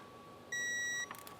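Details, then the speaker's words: 2017 Kawasaki ZX-14R spark plug replacement with new iridium plugs. One clear, half-second high beep in a quiet room as the torque wrench reaches the set 13 Nm on the last plug. Torque wrench target-reached beep. "Last one going in. 13 Newton"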